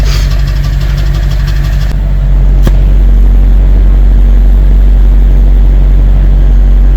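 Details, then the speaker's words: BMW 740Li V8 at idle, exhaust puffing unevenly about four times a second. Code P0300 shows misfires across several cylinders. New gapped spark plugs are fitted and the ignition coils are suspected non-genuine. Cylinder misfire. "머플러 소리를 보면 펑펑펑펑 하잖아요. 이게 지금 비정상이라는 뜻이에요."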